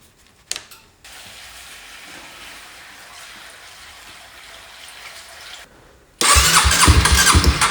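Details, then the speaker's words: 2007 Honda CBR125R, left outside two years, fuel pump reportedly not pumping: quiet seconds then loud uneven churn as engine cranks without catching; fuel starvation, crank no start. "t a restoration it's gonna go as is so he's saying that this this pump is it's not pumping"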